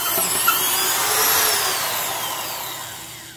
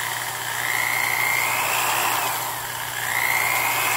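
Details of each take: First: Black & Decker Professional 1309 1/2-inch drill, 4.5 A, 600 rpm, sleeve bearings, driving an auger: high motor whine sinks steadily in pitch as the auger bites; underpowered motor bogging under load. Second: Black & Decker Professional 1/2-inch drill model 1309 with sleeve bearings, free running: clean motor whine climbing with trigger, holding steady, then winding down smoothly; normal free running.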